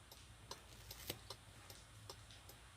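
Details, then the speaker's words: Car with a faulty alarm module under the dashboard; quiet, steady relay ticking about two or three times a second with nothing else running; the hazard lights flash on their own and can't be switched off while driving. "Hai lampunya terus hidup lampu azarya tuh jadi kalau kita ngesen dia nggak bisa mati di jalan hidup terus"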